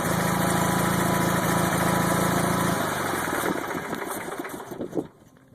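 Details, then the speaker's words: Wheel Horse 520H, 20 hp twin, 963 hours, cold after three weeks unused: steady low thrum with a faint regular tapping about three a second, more noticeable after de-throttling and fading as it winds down; new knock, cause unclear. "i had a little bit of a knock and still does that i never noticed before"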